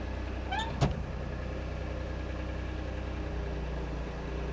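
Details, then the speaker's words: Kobelco mini excavator after spring service (hydraulic tank lid thread repair, hydraulic filters cleaned), testing hydraulics: steady low hum with constant pump whine and a brief clunk as hydraulics move; same pump sound as before, likely from the valve block, normal. "samanlainen on tuo pumpuääni, mitä aikaisemmin. Se on vaan tämä koneen ääni. Varmaan tuo venttiilipöydästä tulee enemmänkin tuo ääni."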